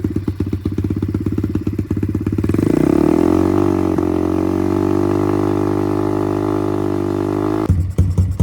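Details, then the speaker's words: Apollo RXF 125 dirt bike on its stock silencer, meter about 1 m from the exhaust: lumpy idle jumps to a loud, raspy sustained drone reading about 95 dB; exhaust far too loud. "Voilà, en accélérant, on monte à peu près à 95 décibels."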